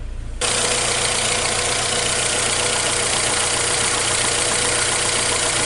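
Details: Saturn Ion four-cylinder petrol engine, first start after rebuild fixing a cylinder 4 misfire from a burnt head valve: catches and settles straight into a steady, pretty smooth idle with no misfire stumble; check engine light still on, cause unknown.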